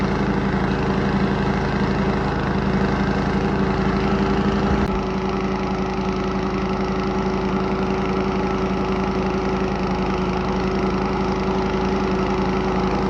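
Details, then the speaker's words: Cub Cadet 104 garden tractor, ant-infested and sitting many years, deck and mule-drive belt reinstalled: steady, even single-cylinder drone holding its beat under mowing load, no misses or knocks; fired right up and mows, running healthy. "Outside of the ant infestation, I can't believe it fired right up like that and started running. And mows. Now, don't get me wrong. They don't mow as pretty as a modern mower does. But they get the job done."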